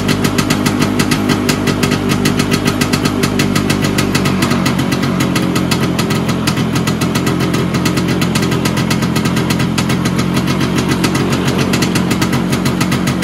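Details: Vespa PX 125 with 177 kit, rebuilt engine (new bearings, seals, cross, first-gear spring and gear, piston, rings, lapped cylinder, silent blocks) first start after a year on 2.5% premix; steady even two-stroke idle, no knocks, normal.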